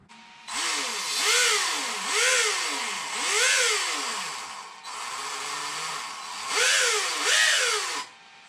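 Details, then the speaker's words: Traxxas X-Maxx 8S RC car motor, hand-held, after replacing failed motor bearings; clean whine rising and falling smoothly with partial throttle, no rattle or grinding, normal motor run. "look at how quiet that is just don't go full trigger so that's all we needed to test nice and quiet it was the motor bearings"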